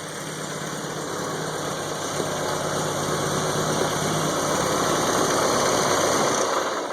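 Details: IPD-built 1971 Volvo 142 idling cold after the fuel ratio controller was set richer: even, steady idle with a smooth regular pulse and no knocks or misses; healthy, normal idle.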